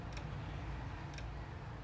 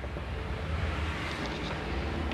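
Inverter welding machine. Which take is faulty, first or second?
first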